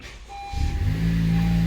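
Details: Car started with a Lasfit lithium jump starter on a dead 12 V battery: brief crank, then the engine catches at once and settles into an even, steady idle with no warning lights.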